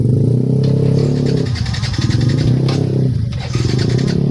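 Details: Yamaha NMAX scooter with added accessories, previously dying suddenly from a broken ignition switch wire: small single-cylinder running steadily at fast idle, evenly paced with no misses. Healthy running.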